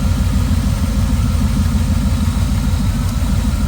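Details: 1979 Pontiac Trans Am V8 idling after tune-up: deep, steady idle with even lope, no stumble or misfire; engine settles and runs smoothly, normal idle.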